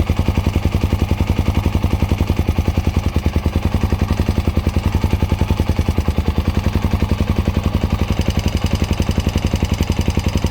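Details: Honda Dominator NX650 RD08 hot idle: steady light clicking from the cam chain area over the single-cylinder thump; cam chain, tensioner, spring, bolt, cam and rockers replaced; clicking stops when bike tilted right; owner suspects cam chain guides.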